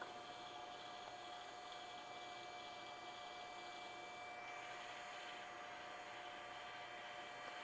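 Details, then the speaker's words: Opened 3.5-inch hard drive powered on via a USB adapter dongle, heads seeking around as it is recognized; faint steady high whine and soft hiss, normal operation. "So it's powering on, and it's hopefully going to recognize, and the head's going to seek around, and oh, look at that."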